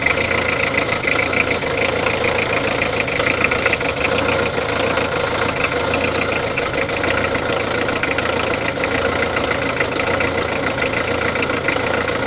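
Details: Peugeot diesel engine idling, overhauled: busy, fast clatter with a metallic edge through the mids; abnormal engine noise, cause not identified.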